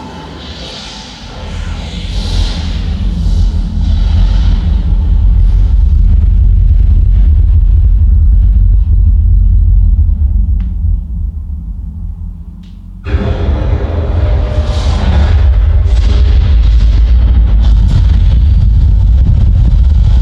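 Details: B&W subwoofer bought 1999, after opening and repairing rattle with a 24-hour cure and reassembly: deep heavy movie rumble plays clean and solid, no buzzing or rattling on bass.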